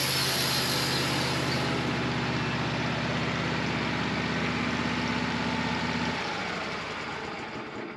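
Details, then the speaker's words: Sawmill engine on an LT15wide cutting a 27-inch black walnut Y log with a carbide blade: steady drone under heavy load, then note sags and drops as engine bogs; carbide blades take more horsepower. "I can tell you for sure carbide blades take more horsepower because you could hear that engine bogging down, going slow through this."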